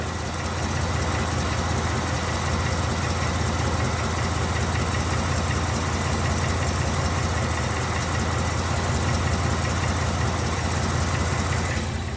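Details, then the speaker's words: 2019 Mustang GT V8: steady idle with a dull knock underneath, about two or three per second, heavier than normal direct-injection tick; owner suspects engine knock, source not pinned down, plans to log data for tuner. "I know what di sounds like I've made tons of videos defending why I don't have engine tech and now it sounds like I might that 100%"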